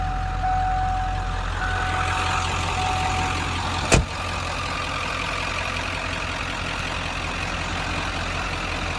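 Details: 1997 Ford F-250 XLT 7.3 Powerstroke diesel, 5-speed manual, 4x4, 69,713 miles, just started: steady even idle with consistent low rumble, no knocks or misses after one brief bump; sounds healthy.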